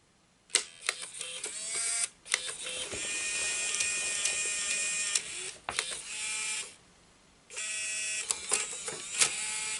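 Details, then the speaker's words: Bose Wave II multi-disc CD changer with disc error: small gear motor whirs in bursts with clicks and pauses, cycling without finishing; loading fails because the mechanism's notch is not returning. "Right. Yeah, so the problem is still here. This notch does not move back as it should."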